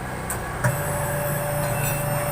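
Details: Honda Vario 125 fuel-injected scooter that arrived not running with a silent fuel pump: steady, even electric hum with the key on and the engine off; the pump primes normally and the engine then starts.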